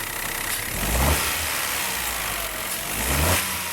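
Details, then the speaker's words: 2017 Peugeot 208 1.2 three-cylinder after repair with genuine parts, correct oil and a re-tensioned belt: idles evenly and revs cleanly on two short blips, and the front whine is gone; normal running. "Sem barulho nenhum. Perfeitinho, comando figurino."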